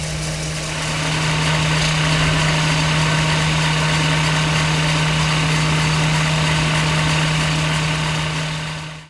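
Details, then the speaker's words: Mercedes-Benz R107 500 SL V8, 23,000 miles: low steady tickover about 500 rpm with soft air hiss from the idle valve, no misses or knocks; idling smoothly. "But as you can see, the engine is beautifully smooth. It's ticking over about 500 RPM. Just lovely."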